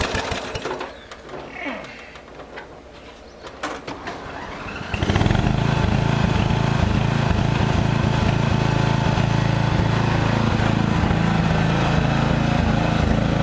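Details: Murray riding mower, first use of the year after long storage with a mice nest in the engine, half tank of fairly fresh gas: catches and settles into a steady, even low drone without stumbling; ran normally.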